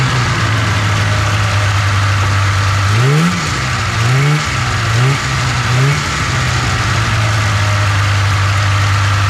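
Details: 1997 Polaris Indy 500 two-stroke snowmobile, first runs after sitting outside: burbling at a fast, steady idle with short blips. The idle is set too high and needs adjustment, and it is smoking little.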